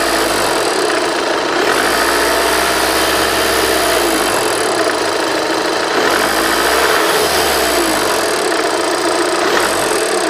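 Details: Passat CC TDI 140 Bluemotion, 60 plate, 65k on the clock, idling: steady, fast, tinny high-pitched rattle above the normal diesel clatter. Cause unknown; a buyer suspects a fault.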